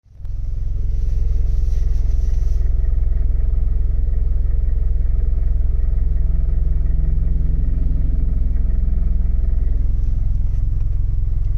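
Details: 2018 Chevrolet Camaro 2.0 turbo engine running: a steady low rumble with a faint regular rattle, about three beats a second; source not pinned down.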